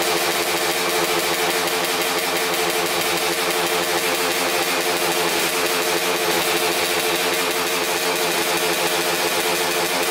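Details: 2000 Suzuki RM250 two-stroke (249cc), unrun two years, fresh premix fuel, cleaned carb, good compression: harsh crackling rattle with rapid sharp pops and little bass; big split in the expansion chamber leaking exhaust, needs welding.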